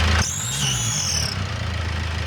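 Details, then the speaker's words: Turbo engine running with drive belts and air filter removed, all rollers still: a high whistle rises with a short rev, following boost pressure; alternator clutch or roller was first suspected, but ruled out. "Свист четко соответствует, на мой взгляд, давлению наддува, либо газку немножко."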